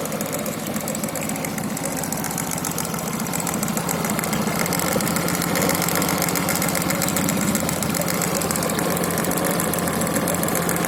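Steady idle with a fast, fairly even knock riding on it, roughly three or four per second; knocking from inside the engine.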